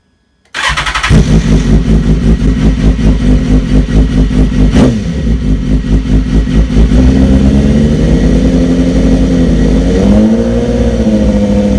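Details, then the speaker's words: BMW S1000RR just after fitting a decat link pipe: starter catches quickly, then a loud, crisp idle with blips rising and falling evenly; noticeably noisier exhaust, engine pulling cleanly and sounding healthy. "Right, I think that's enough noise. It's certainly noisier. Yeah, it's certainly noisier, but"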